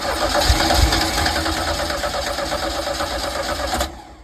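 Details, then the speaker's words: 1982 Sea Ray boat engine cranked on the water hose after starting fluid was sprayed in: the starter turns steadily, about three turns a second, with no firing. No fuel is reaching the engine through the fuel line, and the fuel pump is suspected. "Okay, so what I discovered is that getting gas up here was happening because I was, making it happen by pouring it down his throat. However, getting gas here was not happening. So I was not getting any fuel through my fuel line here to make, the engine happy."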